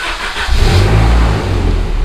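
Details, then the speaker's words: Volvo 745T after the turbo and exhaust manifold install, running properly after a swap to a replacement Bosch 0 280 000 541 part: a quick clean throttle blip rises and settles smoothly back to a perfect 900 rpm idle. "check out those rpms 900 rpm that's that's right where this car should be idle's perfect idle's absolutely perfect now sounds great"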